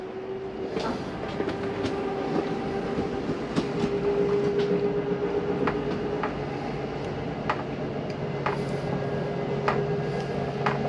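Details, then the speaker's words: Jayflight SLX 237RBS travel trailer slide-out retracting: steady electric motor hum with light irregular gear clicks as the slide comes in quickly; the brief noise at the end is the mechanism stopping further travel, normal. "I wanted you to hear that noise at the end. It's okay to hear that for a second. It's just the slide mechanism keeping itself from coming in any further."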